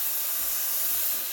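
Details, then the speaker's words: Breville Barista Express BES870 steaming milk, wand angled with tip near surface to inject air: loud, steady high-pitched hiss with light tearing edge; steam wand working normally. "you want to use the technique where the milkwand is at an angle like that and sort of spinning the milk in circles and you want the tip to be close to the surface that way you can inject air into the um into the milk so you want to do that for maybe 20 seconds"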